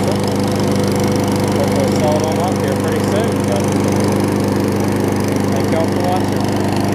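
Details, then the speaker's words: Craftsman 21-inch self-propelled mower after repairs (replacement exhaust bolts holding exhaust, carb clean, zip-tie safety cable fix, key start removed): steady even beat at constant speed, no misses or knocks; runs really well. "Exhaust is holding up really well, which is good, and it runs really well."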